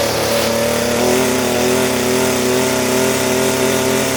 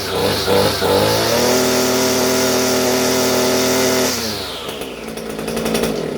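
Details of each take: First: Echo SRM-230 trimmer two-stroke after carburetor replacement: runs at steady high speed but pitch wanders and steps, not holding an even note; running rough, may still need carb adjustment. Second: Echo SRM-230 trimmer two-stroke after carburetor replacement: holds a steady high buzz, then winds down smoothly when throttle is released, no stumbling or surging; running normally.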